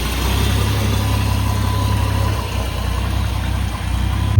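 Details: 1982 Ford F100 long bed pickup, carbureted with no choke, barely warm: low, lumpy idle that wavers and dips now and then; rough cold idle.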